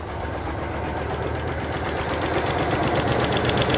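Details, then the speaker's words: 1968 Chevy Caprice, sat about 20 years, warming up and slinging oil with valve cover off: sharp, even tapping about four times a second over idle; one rocker not opening its valve, not number six. "I hear one of them tapping really, really good."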